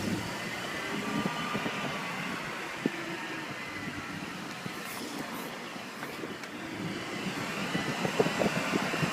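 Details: 2001 BMW 330ci just after a cold morning start: a thin, steady, jet-like whine rides high over the engine and goes away once the car warms up. High-pitched cold-start whine.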